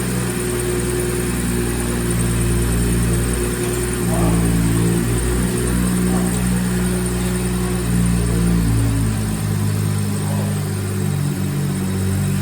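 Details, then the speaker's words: BMW 340i just after installing VRSF charge pipe replacing plastic OEM pipe and reconnecting battery: engine holds a steady even idle with no surging, normal. "I was gonna say the idle was gonna surge your shit. You're fine though."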